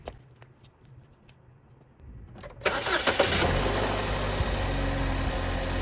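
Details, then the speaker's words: Chevy Equinox / GMC Terrain after serpentine belt replacement: quiet shop, a quick crank, then the engine catches cleanly and settles into a steady, even idle with no squeal or chirp; normal start and idle. "All right, so everything seems to be working just okay."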